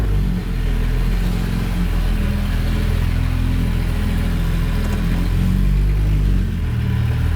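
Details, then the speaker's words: First-generation Honda Pilot after rear suspension rebuild, running with no exhaust fitted (catalytic converter section missing): loud, deep, raw unmuffled rumble that swells a little with throttle. "oh no i think someone stole my catalytic converter that's exactly what you'll hear"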